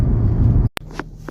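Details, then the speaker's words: 2011 Dodge Journey, about 100,000 km, on a test drive after rear brake work that fixed a grinding complaint; heavy stop with the brakes warming up. Road rumble fades into a full stop with no squeal, scrape or grinding, and good pedal feel. "brakes are working excellent that's good there's no noise there's no uh i didn't hear any kind of funky stuff nothing in the pedal"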